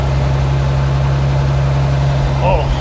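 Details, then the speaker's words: 1950s REO dump truck straight-six, sitting 22 years, first revival run: low, steady, even idle hum with no tapping or misfire; runs pretty good; normal idle. "Hey, it runs pretty stinking good."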